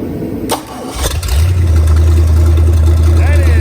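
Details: Boat starboard 454 V8 after swapping carburetors, the old one had a clogged primary jet starving four cylinders: quick crank, catch, then a deep steady rumble settling evenly; now running properly on all cylinders.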